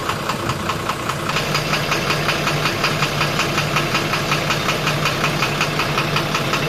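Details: 12-M FE petrol car engine at idle with a steady, sharp knock repeating several times a second; engine knocking problem being diagnosed.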